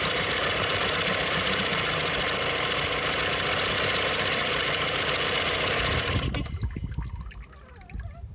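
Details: 9.9 Johnson outboard running with a harsh, hissy roar and a steady tapping pulse, then abruptly going quiet; weird noise, cause unidentified.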